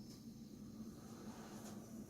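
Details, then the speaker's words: Refurbished Asus prebuilt i7 6700 PC powering on at first startup, rear fan not yet plugged in: soft steady low hum with no rattle, tick or whine; fans running quietly and normally. "It's not loud at all."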